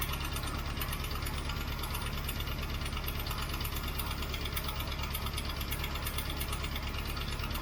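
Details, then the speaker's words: 1967 Mustang 390 V8 after long storage, cold start on choke, still has vacuum leaks: fast steady lifter tick over lumpy idle, not running on all eight; bad cam lobe possible. "I've still got a lifter making lots of noise a lifter making lots of noise combined with an engine that isn't running on all eight is not really a good sign"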